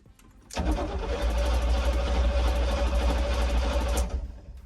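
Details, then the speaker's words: 1972 Chevy K10 4x4 with a 350, sat over 20 years, cranked in neutral: brisk, even cranking for about three and a half seconds with a quick steady rhythm and no dragging; healthy cranking speed. "Cranking over is fast."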